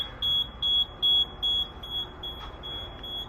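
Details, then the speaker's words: Fire alarm panel sounding even, high-pitched supervisory beeps about 2.5 per second after two sprinkler valves were closed during a valve exercise, before acknowledgement. "at the alarm panel but you know everything costs a lot today so what we're looking for right now is we're going to the alarm panel and we just want to hear beeping and we look and make sure that there's two valves that were turned"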